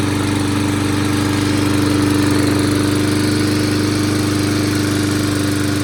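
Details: Toro mower, model 20370, after carburetor cleaning, reassembly and fresh gas: steady, even drone at constant speed with no surging, sputtering or dying out. Now runs much better and keeps running.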